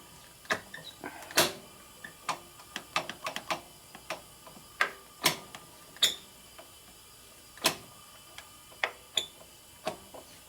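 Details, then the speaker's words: 1972 Harley XLCH Sportster ironhead, engine off, during tune-up and clutch adjustment: sharp, irregular metallic clicks from the rear of the primary as the clutch lever is worked, at the top and start of the stroke; cause unconfirmed. "making a little bit of clicking noise here in the back of the primering the clutch is clicking every now and then you hear it you don't want to be making clicking noises do that something is not happy back there"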